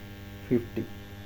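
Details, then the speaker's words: EI transformer with core laminations deliberately left loose, connected directly to mains: steady heavy hum with two louder buzzing surges; strong vibration from the loose core. "अभी मैं direct line के अंदर डालूंगा और इसके vibration आप लोग सुना वो तगड़ा वाला वाइब्रेशन हो रहा है"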